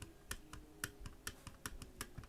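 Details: ASRock/NZXT N7 B650E motherboard that won't work, checking the BIOS flash/clear CMOS buttons: crisp, distinct clicks about four a second, sharp and clean with no crackle or mushiness. The buttons actuate properly.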